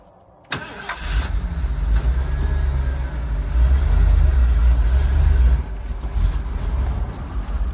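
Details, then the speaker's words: 1991 Ford E350 Winnebago Itasca motorhome, 460 big-block, after fuel starvation: cranks briefly, catches, then runs with an uneven, lumpy, surging beat that won't idle clean. Owner suspects poor fuel pressure, possibly missing spark. "it's running but it's not is it not getting spark is it missing yeah it doesn't have good fuel pressure i really thought that was gonna fix it"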